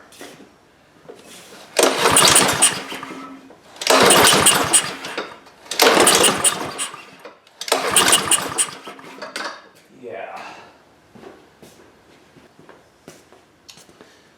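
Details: Husqvarna HU800AWD lawnmower with a Honda GCV190 engine on fresh ethanol-free fuel, choke plate moving freely: four pull-start bursts about two seconds apart, each catching briefly then fading out. It starts and dies, with a carburetor fuel problem suspected.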